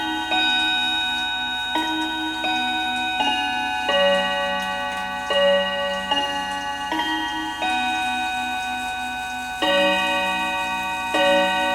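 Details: Hamilton carriage clock with balance escapement, after oiling the front of the movement: clear bell tones strike in a measured Westminster sequence, about one every second and a half. The hammers lift cleanly and the chime works properly.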